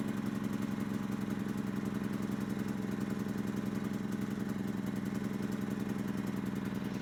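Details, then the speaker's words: Yamaha EF2000iS inverter generator after fixing idle surging, pilot jet suspected. With the choke fully in and economy mode on, it holds a steady, even putter with no blips: normal idle. "look at that choke is all the way in economy mode no blips is that a beautiful sight or what"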